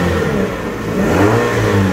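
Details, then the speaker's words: Used 2017 Toyota Vios G automatic petrol sedan revving; pitch climbs and settles cleanly with an even note and no knocks or rattles; engine still smooth and healthy. "Nih, mesinnya masih oke, masih halus dan masih nyaman buat dikeber."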